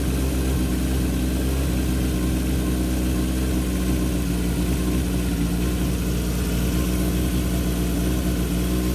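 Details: 1978 Kawasaki KZ650 C four-cylinder, revived after at least 5 years unrun, during carb vacuum balancing with dampers: steady, even hum held at a raised 2000 rpm idle, no misses or knocks; normal fast idle, carbs balanced within about a quarter inch.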